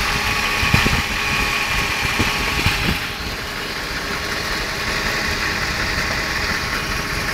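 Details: BMW E38 740i, M60B40 V8 at idle: uneven strange knocking and ticking about two a second, loudest early on; source unknown.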